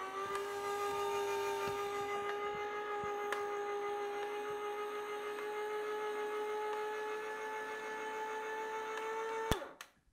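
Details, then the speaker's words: Cheap copycat vertical slow juicer juicing carrots; steady motor whine drifting in pitch with faint gear noise, then stopping; motor slowing heavily under load. "The blades actually stopped rotating so something jammed into that gear there which we may see as pulp in the juice later."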